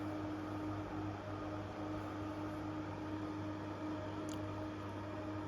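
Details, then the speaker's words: New Intervent 4-inch axial extractor fan, NVF100P pullcord model on 220-240 V AC, being tested: a steady smooth hum with a faint constant tone and even airflow hiss, no ticking or rubbing. It sounds the same as the Centurion model; it runs healthy. "Yeah, this sounds exactly the same as the Centurion. Yeah, I thought it'd be lower in pitch because the two Manrose fans I had, yeah, because the two Manrose fans I unboxed and tested, they both sounded different."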